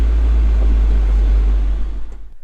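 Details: 1996 Mazda Miata (NA), hot engine, in neutral with foot on the brake: low idle rumble that changes and drops off; brake booster line plugged, surge persists; faulty idle air control valve causes idle surge when braking.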